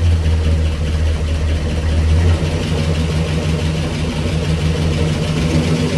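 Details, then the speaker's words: 1965 Cadillac Coupe DeVille V8 with Flowmaster exhausts, first start after 15 years sitting, fed fuel by hand as fuel delivery isn't sorted: deep, steady burble with an even beat and no knocks; healthy idle, possible small exhaust leak. "I think she's going to on her own if I can get fuel delivery to this thing uh she sounds pretty good I might have a little exhaust leak up here but it's nothing we can't handle"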